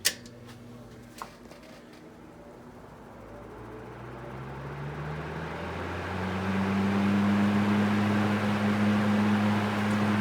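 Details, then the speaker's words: Small Fasco fan after motor rewiring and reassembly, grill refitted, run on high: hum rising in pitch then holding even tone, no rattle or scrape; speeds usually more pronounced once coil warms; healthy. "we can those usually the speeds get a little more pronounced when the coil itself is warmed up"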